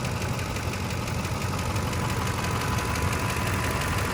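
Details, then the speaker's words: Truck near 300,000 miles (266k) at idle: light uneven ticking about four per second from the upper end; spark plugs checked and all tight, so noise most likely upper engine, remanufactured engine recommended. "a start actually has upper end noise um this truck almost got pushing 300,000 Mi 266 um if it is if it's not spark plugs being loose cuz I've heard spark plugs being loose make this type of noise"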